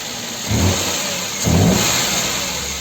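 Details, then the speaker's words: Car engine after water pump replacement (old pump noisy, worn prematurely by overtightened accessory belt): two quick throttle blips rise and fall cleanly over even idle, no whine, squeal or grinding; noise gone. "tirar esse barulhão do pé do ouvido do cliente é bem simples. É só por uma bomba de água nova. Já instalei a bomba de água no carro."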